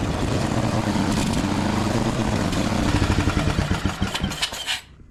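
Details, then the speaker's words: Cub Cadet mower after new gasket, on choke; small engine runs unevenly with irregular pops and spits through the exhaust; rough running with popping, slightly better, owner thinks it still needs adjustment. "Seems to be running a little bit better, but there's still something I might have to adjust on it. At least it's from it still popping."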